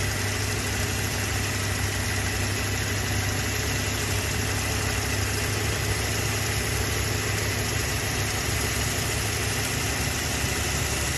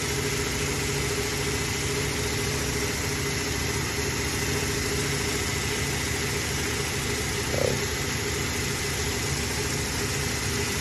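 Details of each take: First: Toyota Hilux 3RZ-FE 2.7 L petrol after idle-screw adjustment to about 900–1000 rpm (drops under load, may drop in cold). Steady, even idle hum, constant beat, no misses or surges: normal idle. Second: Toyota Hilux 3RZ-FE 2.7 L petrol, idle screw turned down below the proper ~900–1000 rpm: very low, uneven, lumpy idle rumble that starts to shake; rough idle from idle speed set too low.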